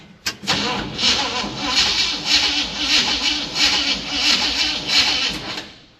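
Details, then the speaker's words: Old K20 project not worked on all summer: repeated cranking bursts about once a second, catching briefly and dying each time; engine not drawing fuel from the tank. Fuel starvation, cranks and stalls. "it's still not drawing fuel out of the tank."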